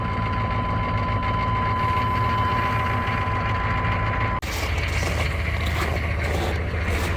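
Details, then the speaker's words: Truck started at -35°C: a steady, even low rumble with no misses or knocks; normal cold idle. "Let's fire up the old wood weasel here. Oh, sorry, there we go. Don't you love that sound? It's -35."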